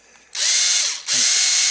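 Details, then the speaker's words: Ryobi HP53L Tek4 lithium screwdriver in forward, noisier than a second unit: two short harsh, gritty high-pitched whirring runs; owner suspects gears need grease, cause unconfirmed, before disassembly. "it here make that noise so what we're going to do is take this apart maybe put some grease in the gears or just see what's up with it"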